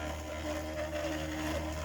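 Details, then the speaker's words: 3D-printed maglev motor after fitting a 304 stainless steel backplate in place of the aluminium one, running on 9 volts: even steady hum with a faint higher tone, starting by itself and running smoothly. "so just as I figured it would it's running so beautifully and it auto starts"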